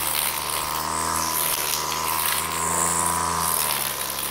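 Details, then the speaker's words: Flymo Maxi Trim two-stroke strimmer after carburettor cleaning and a Scotch-Brite pad substitute air filter, cutting thick growth in the garden: busy high buzz holds speed, dipping slightly under load without bogging; normal running under load. "so that's working really well we've got a decent amount our there is when we get it in the thick stuff it's not killing it it's holding its own"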